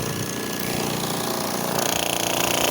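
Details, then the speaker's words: AirSep Intensity 10 oxygen concentrator, disassembled, tank line disconnected: a steady compressor hum, then a fast, even knocking once the air outlet is blocked. Something inside the compressor is knocking under load. "golpeteo aquí hay algo dentro el cual vamos a investigar"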